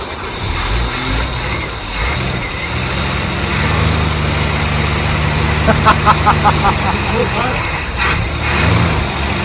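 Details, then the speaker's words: Holden Commodore, carburettor-fed, sitting 10–15 years in a wrecking yard, first start; uneven, lumpy note that wavers and stumbles while the throttle is worked, slowly settling as it clears out. Rough running. "Bit of stuff coming out the other end. Clear out. Yeah, play the cobwebs out of it."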